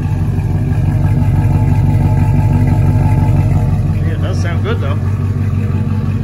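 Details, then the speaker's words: Rebuilt 6.0 LQ9 V8 in a Cadillac Escalade, dished pistons, ported 862 heads (10.5:1), LS6 cam, first start without water pump or cooling, idling slightly lean; deep steady idle with mild cam lope, revs cleanly on a quick blip: normal idle and rev. "though seems to be running nice not bad at all let's give it a quick rib see what it sounds like"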